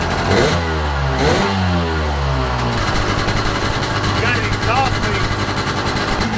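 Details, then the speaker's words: 1995 Sea-Doo GTX two-stroke on a flush water hose: raspy revving with a sharp chuffing rasp over the exhaust note, leak between exhaust manifold and pipe, later fixed with new gaskets and RTV; exhaust leak. "So now we found out that we've got an exhaust leak,"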